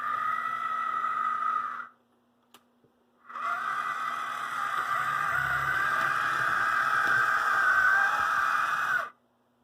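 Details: AC Gilbert Alco diesel model locomotive after drive shaft repair, run with shell on, no added weight: small motor whirs with buzzy mid-pitched tone, pauses, runs on; the shell adds an unwanted buzzing rattle while the drive system works well.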